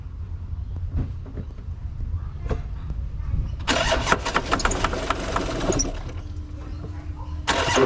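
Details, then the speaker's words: 2012 Audi Q7 diesel after injector work to cure an idle hissing air leak: the starter cranks, it catches within seconds and settles to a steady idle with no hiss. The previous hard starting from no diesel at the injector is gone. "before when you start have a problem with starting up because they have no diesel in the injector but now back to original"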